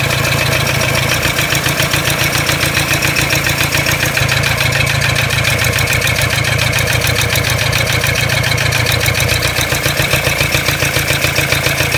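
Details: Toyota Hilux D-4D 1KD-FTV diesel idling with a hard, regular rattling knock over the clatter; disconnecting each injector didn't stop it, only reduced it on cylinder one; owner suspects cracked piston, source undetermined.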